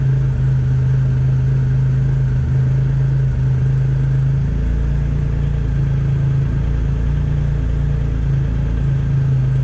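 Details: Triumph Rocket III triple after a TPS adjustment and idle control valve reset in TuneECU. Steady, deep rumble with an even beat, no misses, knocks or hunting. Normal idle.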